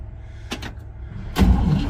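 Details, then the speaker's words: 1957 Pontiac Star Chief, sat for years in humid central Florida, first crank attempt in park: a couple of clicks, then a low, steady churn as the starter spins the engine over freely with no binding; healthy cranking. Owner suspects the points need cleaning. "so this that's a happy Archer right there did you hear that thing spin over wow"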